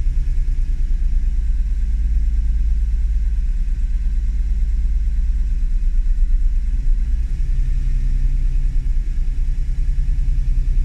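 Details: Honda NSX at idle: low steady rumble with a slight surge and dip in the beat midway, unsettled idle, cause not evident.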